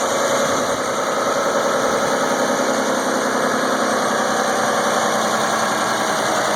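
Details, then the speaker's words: 2001 Isuzu Rodeo idling after start, before EGR cleaning, with recurring insufficient EGR flow code; idle a touch high and uneven with faint wavering beat, rough idle owner suspects is EGR-related. "it something just doesn't sound quite right I'm hoping pling EGR is going to take care of all that"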